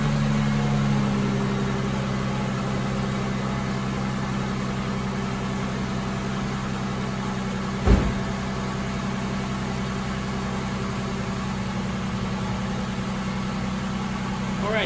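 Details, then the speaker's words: Normal, steady idle on a 2004 Mustang 3.8L V6 (with some power loss and leaks) after a compression test. It had not started until the coil plug was reconnected, and now runs cleanly with one brief bump midway. "quick uh tip uh I forgot to put in the uh plug in the coil thus it wouldn't turn all we're back to normal now"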